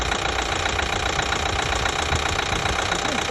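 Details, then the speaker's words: 2012 Chevy Equinox 2.4L petrol engine, warm idle after new timing chain, timing cover gasket and high-pressure fuel pump: steady knock about two to three beats a second, silent when cold; cause unknown, sounds like chain slapping. "the thing is when you're cold and you start it the engine runs beautiful no noise whatsoever it sounds good but as soon as it starts warming up i get this"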